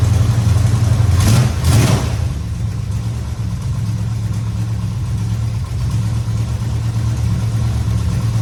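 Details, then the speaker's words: 1969 Dodge Charger after power steering work (belt fitted, fluid topped up, system bled with wheels off the ground): low, steady idle after a brief blip, no pump whine or groan; power steering sounds healthy and works well. "Check it out. Everything seems to be working pretty good."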